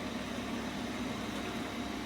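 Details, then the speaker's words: Electrolux EWX14450W washer-dryer during its drying cycle, after heating and pumping out water: an even, steady whoosh with a low hum and no rattle or scrape as the drying fan comes on and runs smoothly. "there's water coming in somewhere pumping out water and now the fan's on"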